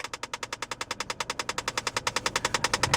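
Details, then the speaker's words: 2004 Saab 9-3 2.0T Vector 150bhp convertible automatic; with the fan turned up, a fast, even ticking of about nine clicks a second comes from the dash and eventually stops. Mechanics diagnosed a jamming recirculation flap in the heater unit. "that is the recirculation flap which we've had diagnosed by our mechanics so the heater unit has a recirculation flap and it is jamming and that is what's causing you to hear that noise"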